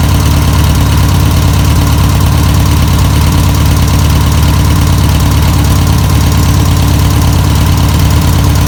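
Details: 1962 VW Type 2 van/bus flat-four, sat over 40 years, running on its own fuel: deep, slightly uneven rumbling idle that keeps running steadily without stalling; normal idle.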